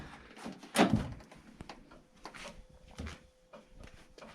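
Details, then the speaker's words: 1982 Chevrolet Camaro Sport Coupe with a 305, after greasing the doors: one solid thud as the door shuts, with no creak on the swing and no rattle or window flop afterward. Normal door operation. "uh the doors they don't creak anymore they open and they close phenomenally"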